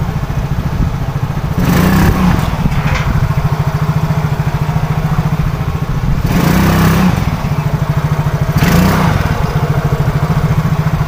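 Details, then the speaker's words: Yamaha Soul GT/Mio J/Mio M3-type injected scooter after repair: fuel was not reaching the injector, causing hard starting and stumbling, and water in the tank was dealt with. It now starts, revs cleanly on three throttle blips and settles to a steady idle; normal running. "semuanya aman dan tidak ada susah hidup udah hilang dan berebut hilang"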